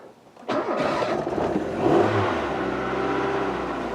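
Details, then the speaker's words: Rover 216 SE convertible started cold just after the idle stepper motor was rebuilt and cleaned and then reset with five accelerator presses at ignition on. It catches, flares, and settles to a steady 1500 rpm: a normal fast cold idle. "the idle speed is now 1500 rpm let it get warm and see what happens"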